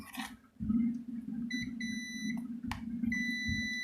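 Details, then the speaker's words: Philips blender motor stator, multimeter continuity test across the winding leads: two steady high beeps of about a second each; continuity present, stator windings intact and reusable. "Jadi, semuanya pasti saling berhubungan. Stator ini dalam kondisi baik."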